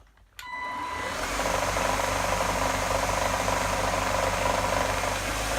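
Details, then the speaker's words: Gtech AirRam K9 cordless vacuum with temperamental switch and battery issues: motor spins up to steady whir with coarse low rumble and rattle, always present and progressively worse; rough-running motor, cause unconfirmed. "take note of the odd noise - rumbling / rattling coming from the motor - this has always been present and has gotten progressively worse..."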